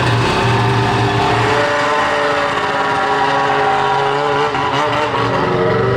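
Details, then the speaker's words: 13-year-old race two-stroke snowmobile, just pull-started cold: loud buzzy note that sags and stumbles unevenly at low revs; bogging down low, unsure if just cold; owner suspects power valve sticking once warm. "is it just too cold or is it bogging let do that let's keep bogging out that's it huh interesting man I think sounds nasty she sounds gnarly sounds like a Nitro RC car it's not a happy camper yeah I hear it down low it's not happy"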